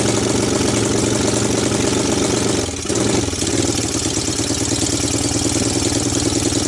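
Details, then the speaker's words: 1998 Honda TRX300EX, abandoned a year, first cold start via jump box, portable CDI and starting fluid: loud slightly uneven exhaust beat, running rich, with faint mild top-end ticking; cause unconfirmed. "the clicky clicky didn't sound quite as bad though the exhaust was pretty loud but the clicking didn't sound too bad up on top"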